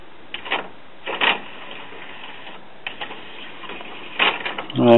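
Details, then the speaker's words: Denon commercial-grade CD player/cassette recorder (Japan, December 2001) after repair, screws not yet refitted: a few light clicks then a short motor whirr as the tray draws in and seats; loading works normally. "Alright, I haven't screwed everything back down yet. But it looks to be working."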